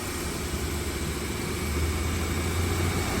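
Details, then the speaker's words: Subaru AC compressor running after evacuating and refilling with fresh refrigerant (about 100 g, going back to 200 g), compressor clutch engaged; low steady engine hum with only mild churning, quieter than before at low charge: AC compressor running with reduced noise. "not as bad as before"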